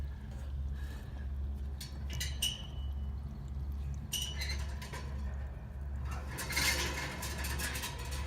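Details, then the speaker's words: Belt-drive HVAC blower with belt removed, found on preventive maintenance: low pulsing hum with metallic clinks and scraping as the rusted, cracking wheel rubs on a vibrating shaft; worn bearings, wheel and bearings to be replaced. "i've taken the belt off and i'm hearing noise coming from my blower wheel"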